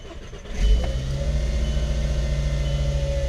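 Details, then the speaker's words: VW Jetta with overheating reading and hard cold starts, owner concludes a temperature sensor fault rather than water pump or thermostat, coolant topped up: brief starter whirr, engine fires at once into a smooth, steady idle; normal start. "starts up right up and also the temperature gauge see where it ends and move in so"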